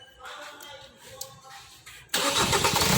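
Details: Kia Sportage/Hyundai Tucson that cranked but would not start: after reseating a loose camshaft sensor connector (resistance tested fine), quiet fumbling then the engine catches abruptly and settles into a steady running note; starts normally now.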